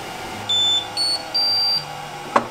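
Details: Voxelab Aries 3D printer heard from about 10 feet away while printing: short high-pitched singing tones jumping in pitch with each move ring through the frame; stepper motor resonance, excessive noise.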